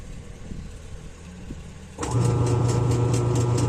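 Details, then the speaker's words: Samsung 7.5 kg automatic washer, long stored, wash wouldn't run, only hummed: motor run using a timer, now low steady hum with even rhythmic churn; wash agitation normal, motor fine. "Ibig sabihin ayos po yung wash. Akala ko nga po hindi na pa. Akala ko magpapalit pa ako ng motor dito."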